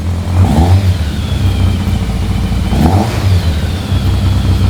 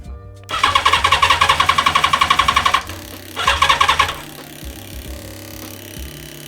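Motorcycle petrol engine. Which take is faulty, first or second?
second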